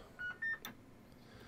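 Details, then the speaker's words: Homebrew vintage 7-tone CB roger beep in single beep mode: two short tones, second higher, thin and not crisp as original, waveform wrong on scope; distorted by unpowered counter chip. "seems to be working but it just didn't sound as good as the original one and this was annoying me"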